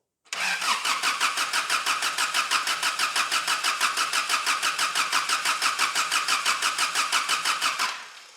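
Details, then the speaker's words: 1985 Daihatsu Rocky 2L petrol, first start attempt after months sitting, with Aerostart sprayed in the intake: even cranking at about three beats a second for seven seconds with a harsh metallic grind, never catching; the starter motor is blamed and possible ring gear damage is suspected. "so tonight we'll order a new starter motor so hopefully we can stop that grinding and we haven't caused too much damage to the rain gear"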